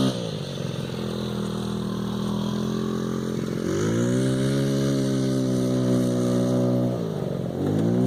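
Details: $20 50cc scooter after upgraded variator rollers (lower effective gearing for off-road), full throttle: thin buzzy note climbing and holding high revs, dipping and recovering; screaming normally.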